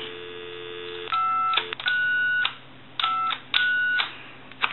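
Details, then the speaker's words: Original Mickey Mouse telephone on a line: dial tone then keypad tones, with keys 5 and sometimes 6 wavering and off-pitch; the keypad isn't producing the proper tone frequency. "the keypad is not creating the proper tone frequency to pass at the phone company and so he has a keypad issue also"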